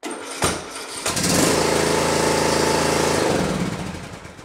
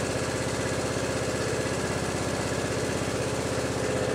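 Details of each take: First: Riding mower, Briggs & Stratton Intek engine, starter cranking: labours and hesitates on the compression stroke, then catches and runs; battery and starter fine, fault is a broken decompression (compression release) cam on the camshaft. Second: Briggs & Stratton Intek riding mower engine after repair of a broken camshaft decompression (compression release) cam. The single cylinder thumps along at an even, quick beat with no misses or knocks, running normally.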